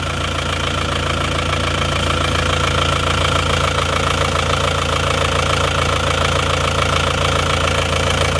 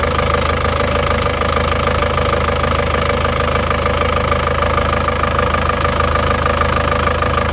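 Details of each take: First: Isuzu Panther diesel that ran out of radiator coolant, idling before overhaul, oil catch tank fitted: rough idle with steady clatter and rhythmic chuffing about twice a second; considerable blow-by and oil consumption, liner scoring feared. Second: Isuzu Panther diesel just rebuilt after burning oil from running out of radiator water (two liners, two pistons, rings replaced), just started, still cold: steady even idle clatter, no odd knocks; engine sounds excellent, normal idle.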